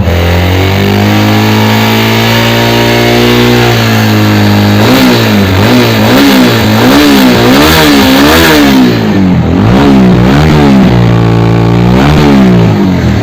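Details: TVS Apache RTR 200 4V motorcycle, after repair of an engine noise problem: clean idle, then repeated smooth blips up and back down, pitch rising and falling evenly with throttle, no knocks or rattles; engine healthy.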